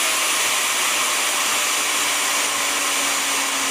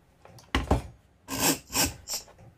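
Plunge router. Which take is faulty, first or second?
second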